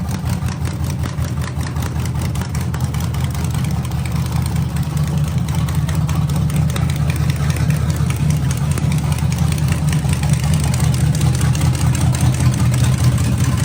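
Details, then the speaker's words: 1987 Z28 Camaro or 1985 Monte Carlo, mufflers ripped off, carburetor freshly filled by fuel pump: loud, raw, choppy idle with hard exhaust pulses about two and a half per second, engine running open with no mufflers. "guess there's no Mufflers on this one wow that's right they got ripped off remember"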